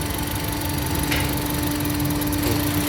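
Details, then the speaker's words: 2008 Honda CR-V petrol engine shaking at idle with an uneven low chug; cylinder 2 dead, persisting after swapping its coil; its injector was clogged and not spraying, so it was cleaned. "ผมสวัสดีครับวันนี้ก็รับเข้าอีก1คันกับHondaCVมาด้วยอาการเครื่องสั่งดูนะครับเื่องสั่นครับเนี่ยหัวนี้ไม่ทำงานนะสูบ2คืออะไรวะสูบ2มันไม่ทำงานอ๋อ"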